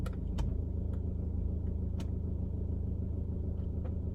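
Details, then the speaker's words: Audi after injector repair: smooth, steady low idle with the previous tick and shaking completely gone, heard with the window open; the injector was the cause all along, now normal idle. "the tac is not there anymore. It's gone. Of course, it was the injector and all the way along, we know."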